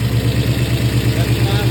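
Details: Idle on a truck's newly installed 481 V8: steady, even low pulsing with no knocks, misses or stumbles. Normal idle.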